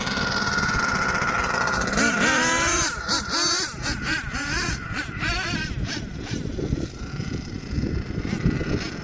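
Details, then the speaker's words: HPI Savage XL twin nitro truck with Twinzilla kit: two small nitro engines rev unevenly, pitches sliding apart as one screams ahead and the other lags; motor 2 out of sync, unmatched RPMs, before linkage set and tune. "Yeah, and then the second thing that went wrong, motor number 2 was totally out of sync. I want you guys to listen for it, because what you're going to hear over there is what a motor out of sync sounds."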